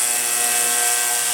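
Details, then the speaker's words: Ultrasonic cleaner with heated water cleaning a non-starting Chinese ATV carburetor clogged with dried ethanol varnish; steady high-pitched hiss with a few fixed whistling tones, no low rumble; cleaner running evenly and normally. "as you can hear it's in there now it's bouncing sound waves off the carburetor um we start breaking up all that varnish all that ethanol dried up"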